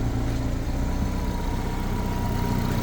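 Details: Car running for no-crank no-start diagnosis, fan and lights on loading the battery, alternator charging 13.5 volts: steady even idle with faint fan hum, no misses or knocks; healthy engine, normal idle.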